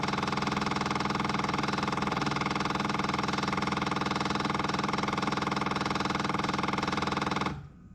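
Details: Caterpillar 259D skid steer, key on after changing both fuel filters including the inline filter. Fast, even electric ticking at about three per second, then it stops: the priming pump is filling the new filters normally.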